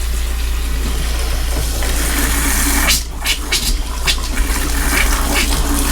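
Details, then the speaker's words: Gulf Stream Endura Super C motorhome (Duramax diesel) under rebuild, hot-side tap opened after refilling the water system: steady rush of running water broken by sputtering spits and gurgles as trapped air blows out of the long-unused hot line. "oh that sounds like water hey definitely going to have air in it"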